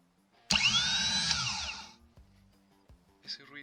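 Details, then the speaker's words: 2018 Chevrolet Malibu starter motor that only clicked, bench-tested with pin B energized: sharp high whine spins up, holds about a second, winds down; starter now turns freely where it did nothing before. "nos indica que el ejecutor está girando ahora. Anteriormente en la primera prueba, pues no hacía nada."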